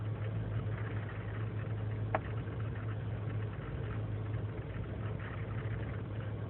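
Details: 2003 GMC Sierra Z71 5.3L V8 (non-flex fuel) idling on its own after overnight in single-digit cold: low idle with slightly uneven pulse, no knocking; rough until warm, lean and misfire codes, owner suspects failing intake manifold gasket.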